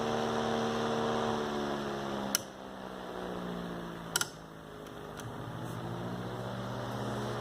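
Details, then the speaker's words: Antique General Electric fan, believed early 1930s or 40s: steady low motor hum, smooth blade whir, a couple of brief clicks; likened to a vintage airplane motor; normal. "Very, very nice. Almost like a vintage airplane motor. Very, very solid engine for its time."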